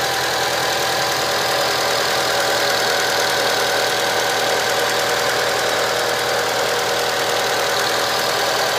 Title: Engine sounds and shakes as if one cylinder intermittently misfired